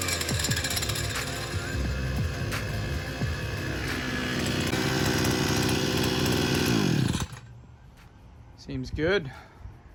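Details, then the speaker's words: Sican 3.6 HP 52cc two-stroke outboard after maintenance (new clutch, NGK spark plug, gear oil, air filter check): crisp, even buzz held steady about seven seconds without misses, then shut off; running healthy. "so the maintenance items have been taken care of now and it sounds like it's running healthy clutch is functioning as it should"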